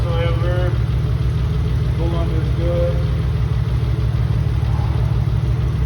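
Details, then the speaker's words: Mitsubishi 3000GT VR4 new engine after converting to crank and cam position sensors, now running on all six cylinders: steady, even low idle rumble with no knocks, ticks or stumbles. Normal idle. "That's it. 3 times lucky. No odd noises or anything of this kind. Engine sounds pretty good."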